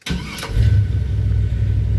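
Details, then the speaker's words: 1978 Chevy C10 truck, slightly warmed up, fitted with a 4.3 starter from a 2000 replacing the old truck starter: starter spins the engine fast and evenly with a steady low whir, no grinding or clicking; normal, healthy cranking. "you hear that starter man it sounds so much better let's do it again listen for the starter and this thing had a truck starter on it anyway"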